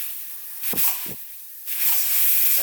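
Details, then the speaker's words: Twin-turbo LS Ford Ranger with boost issues: both wastegates, previously not opening up to 25 psi. Sharp bursts of air hiss as pressure is fed in; both gates open and vent normally at about 7–8 psi. "Alright guys, well, I just tested it and neither of them were opening up to 25 pounds, but now you can hear them opening."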